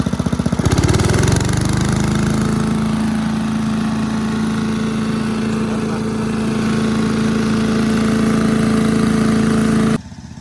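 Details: 1984 MTD Air Sweeper (model 245-692-000), 36 years old, flathead Briggs & Stratton 5 hp (engine model 130212-1731-01): catches after pulls, then settles to a steady, even drone, no misses or knocks; engine in good shape.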